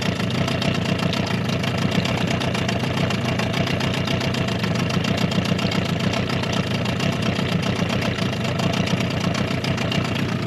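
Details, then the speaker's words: Suzuki DT 9.9 (15) AS outboard on a Solar 350 boat during break-in, held at about 1,500 rpm: even, fast buzzing run at a steady level with no surging or knocking; earlier vibration has stopped and the motor runs smoothly. "Вибрация двигателя прекратилась. Двигатель работает ровно."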